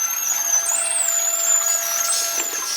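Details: Boat lift raising: steady high whine with a smooth, even hydraulic pump hum, no groaning or juddering. Heard after grease was applied to the metal-on-metal hydraulic supports to cure squeaking; the lift now runs smoothly.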